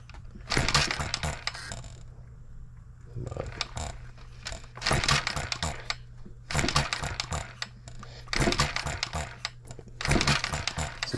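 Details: Model engine built 1988, not known when last run, crank just straightened: bursts of firing roughly every two seconds that die away between tries. It catches briefly, stumbles and quits; owner suspects junk in the fuel system.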